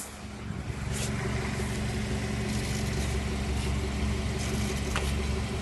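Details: 2012 BMW X3 F25 xDrive28i automatic: a low, steady buzz at very low speed under 10 km/h in R or D while braking to a stop or coasting off the gas. Suspected to come from the ATC-45L transfer case; not confirmed.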